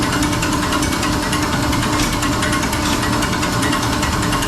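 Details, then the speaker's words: Diesel injection pump on test bench being bled, 100 RPM pump speed (200 RPM engine-equivalent): slow, rough ticking pulses under loud motor drone as it starts injecting cylinder by cylinder; normal bench start. "So it's always double. You'll slowly hear the pump starting to inject. Cylinder by cylinder."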